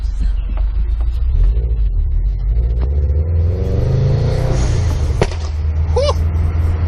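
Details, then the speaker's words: Subaru driven just after an HKS SQV4 blow-off valve install with no tune: steady engine rumble while driving, then one sharp gunshot-like crack on lift-off; owner suspects over-fueling when the air is vented; backfire on lift-off. "it's like a [ __ ] gunshot dude it was like [ __ ] gunshots"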